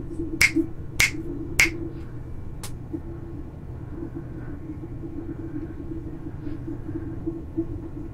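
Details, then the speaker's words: Creality CR-10S Pro 3D printer after quiet fan upgrade, one fan run via buck converter at about 12.5-13V, all fans on except part cooling fan: only soft, low steady hum, finger snaps for comparison; very quiet, normal. "but this is how quiet your machine can be you did such a good job with the steppers I decided I had to make the fans just as quiet I could sleep in the same room as this machine"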